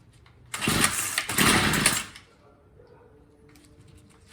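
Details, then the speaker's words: Troy-Bilt TB22 EC weed eater, primed and choked, then on half choke: two ragged sputtering bursts that won't catch; carburettor out of tune, hard starting. "so yeah you can tell it's definitely out of tune so we just gotta keep repeat repeating that until we get to run half choke"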